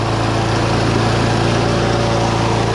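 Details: Lawn mower started with an 18V cordless drill because its pull string broke: small single-cylinder runs at a steady, even speed with a smooth regular beat and no misses or knocks; sounds healthy.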